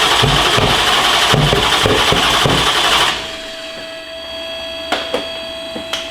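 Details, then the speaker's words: Manual-swapped C8 Corvette drift car V8 being fired up in the shop before dyno tuning, previously revved only to about 3,500 rpm, oil leaks sealed; hard, crisp revving cut to a quiet tick and hum, pulling strong and even with no misfire; normal. "You guys are gonna hear on a proper mic how freaking awesome it sounds, and hopefully we'll be able to rev it higher."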